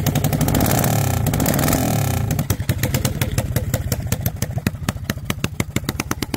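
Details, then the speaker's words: Honda XL185 single, barn-stored 20+ years, running with open header and crankcase breather disconnected: loud uneven stumbling firing that never settles; runs rough, oil from head gasket and heavy blowby, owner suspects worn rings, compression check next. "okay well this thing is still running like hot garbage"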